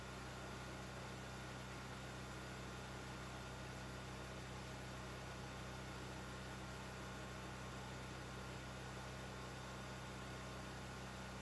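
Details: New Firman generator, first run after assembly, oil fill and fueling; constant even drone, low steady hum, no surging, misfires or hunting; normal running.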